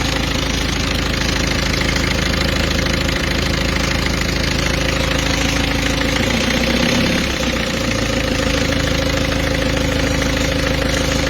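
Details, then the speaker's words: Peugeot 206 2.0 HDi 90 diesel after correcting an over-tensioned timing belt (workshop error), covers still open: even idle with steady clatter and clean hum, the belt noise gone, no whine or slap: normal idle. "voilà donc là on a plus de bruit tout est bon"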